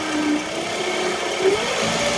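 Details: 2009 Toyota Camry LE 2.4L four-cylinder at idle: a thin alternator whine over the engine, creeping up in pitch. Recorded before the bad alternator was replaced.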